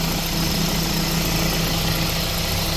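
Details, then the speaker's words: 2013 Renault Fluence after a new belt tensioner, belt and engine mount, idling in Drive with A/C on to load the engine. Steady, even idle with no chirp, squeal or rattle; the earlier noise is gone. "temos forro novo ó lá tensor novo trabalhando direitinho Correia nove tá aí o barulho som do carro Zerou"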